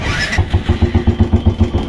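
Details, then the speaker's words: Royal Enfield Bullet Classic with a self-start fault, after the right-hand switch and wiring were checked and the battery confirmed good: a short starter whir, then the single settles straight into an even thump about seven beats a second; electric start now works properly. "দেখতে পাচ্ছেন তার সেলফে আমাদের গাড়ি start তো friends আমাদের যে সেলফের problem ছিল তো সেলফের প্রবলেম টোটালি ওকে"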